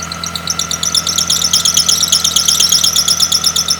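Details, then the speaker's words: Car engine running with a new drive belt that was deliberately slackened, giving a pulsing squeal about three chirps a second from low tension, fixed by tightening the adjusting bolt. "So if you have tension issues the first thing you should check is the condition of the belt because a worn belt can stretch over time and than start slipping off these pulleys causing you to hear that screeching noise from your engine."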